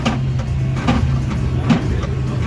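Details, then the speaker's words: Cosmic Tower arcade machine throwing Error 7: running the big ball hopper motor in test mode gives a low drone with a heavy clunk about every 0.85 seconds, like the noise heard before it errored. "So, I just set up to player two and I'm running the big ball motor and listen. That sounds similar to the clunking noise I heard right before it errored out."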